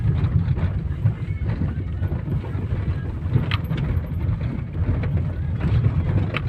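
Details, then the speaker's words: Opel Zafira driven over potholes at night. Road rumble with dull thuds: a front suspension knock on the right/passenger side, now less loud but still present. Owner suspects the strut; cause unconfirmed. "Ну, теперь стук уже не такой громкий."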